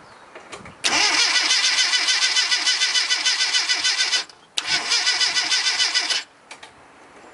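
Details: 1989 Mini Mayfair 998 after fitting Lucas GCL143 coil and electronic distributor (ran fine before): starter spins engine in two long bursts at about 3.5 beats per second but never fires; crank, no start.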